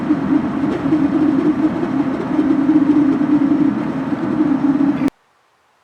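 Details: Ford Super Duty driving above 30 mph: steady wavering mid-pitched squeal over road noise that fades below 30 mph, a failing front wheel bearing; new hub assembly bought but not yet fitted.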